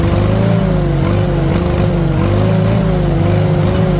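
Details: 1940 Farmall H after ignition timing was adjusted by turning the distributor; even, steady putter with gentle speed waver and no misses; normal running, timing was a main fault, carburetor may need work.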